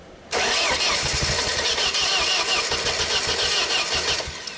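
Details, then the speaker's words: Ford-powered JLG boom lift, sat two years after a tree fell on it, rodent-chewed wires: about four seconds of cranking without firing; fuel primes but scope shows throttle motor not moving, TPS stuck at 0.9 V. "So the throttle is not moving. We just proved that on the scope."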